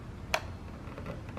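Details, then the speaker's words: Omron LY2 DPDT relay switching a fan circuit when the power supply is plugged in: one crisp click as it pulls in, then low steady fan hum; normal relay click. "you hear that click the power supply came on because plugged it in it's hardwired but the relay clicked over and now it's running the fan"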